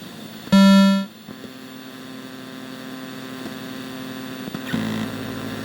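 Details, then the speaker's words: Midway Wolf Unit arcade board (Mortal Kombat 3, revision 1.0) during ROM check; after a short loud tone, a steady low buzzy hum under the audio from a faulty op amp, later replaced; audio hum from faulty op amp. "listen there's a noticeable interference and noise in the background of the audio"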